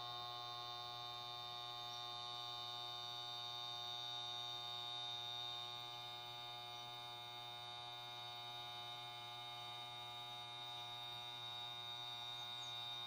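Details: Refrigerator that won't start: steady electrical hum with a high buzzy edge and no start-up; compressor motor stalled, suspected shorted winding or worn motor bushing, fix is compressor replacement.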